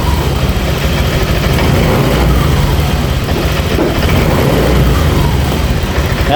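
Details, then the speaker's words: Honda Vario 150 after the electrical repair and MIL code 12 cleared. It now starts, but the idle runs unevenly with irregular low thumps and dips: stumbling. An ECU reset is planned because the fault history is stored. "tapi kita wajib untuk merisetnya kembali ya Soalnya ini ada gejala brebet-brebet"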